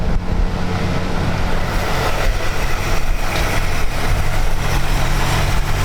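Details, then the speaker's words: 1937 Ford Tudor Bustle-Back street rod, Ford V8 with electric choke and full-size mufflers, just started: deep, steady, even idle burble with no knocks or misses, smooth and quiet; healthy. "Runs very smooth. Likes them nice and quiet. It has full-size mufflers on it."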